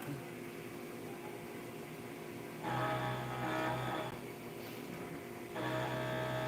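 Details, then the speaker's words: CNC milling during a 2000-part production run: bursts of high chirpy squeal come and go over spindle hum as the cutter crosses a hole; normal interrupted-cut chirp, nothing wrong. "I don't know if you guys can hear that kind of weird chirping that was on that tool path that's just cuz it's an interrupted cut um traveling across a uh a hole"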